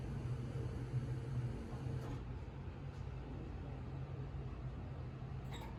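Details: 1968 Camaro V8, second start-up, Holley EFI lacking correct injector data, idle not yet adjusted: quiet deep even rumble at steady level, no knocks or ticks; a little smoky from oil in cylinders, oil pressure shows error; normal idle.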